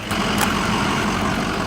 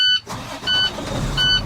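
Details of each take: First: International 4300 service truck cranks with a churning beat near four a second that fades without firing; no start. Batteries read 13 volts after brief charging and are being replaced; cause not confirmed. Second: International 4300 diesel truck with a no-start condition, after battery service: a few repeated dash chimes, then a low diesel rumble that catches and keeps running; it now starts normally.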